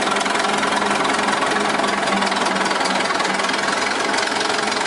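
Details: 1926 Twin City gas engine in a Northwest 105 dragline: loosely regular knock about three or four a second over the engine's busy clatter, a rod knock needing repair before it ventilated the block.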